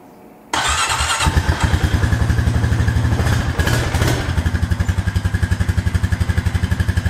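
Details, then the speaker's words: Honda Rancher ATV started in gear, a fault present for 3–4 years since a rollover: the single cylinder putters at about four beats a second, its rhythm sagging and uneven as it tries to die; traced to a bad brake switch. "So as you can tell, it just putters and it like tries to die. At least that's what it acts like."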